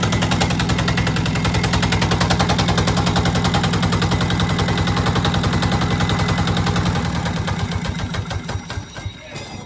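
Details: Newly acquired Yanmar TA 60H 6HP single-cylinder diesel, unmounted and missing its radiator fan: even, steady chugging with a firm regular beat and no knocks, then it slows and fades out as it stops. Normal running.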